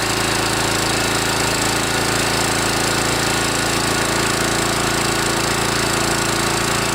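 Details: Kawasaki FC150V 6.75 hp engine on a DR TR-1 walk-behind trimmer after carburetor cleaning (main jet, float needle valve), warmed up and revved; strong steady fast beat with no stumbling or surging, running properly.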